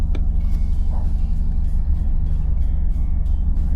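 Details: Nordhavn 63 main engine during pre-departure checks, shifted into reverse at the station: a deep, even diesel rumble with prop wash, no knocks or rattles. Normal running in reverse.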